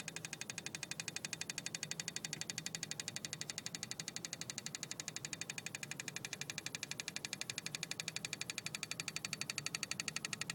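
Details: BMW E36 320i, engine off, key at position 2: even rapid ticking about four per second in engine bay, stops at key position 1 or 0; source unidentified.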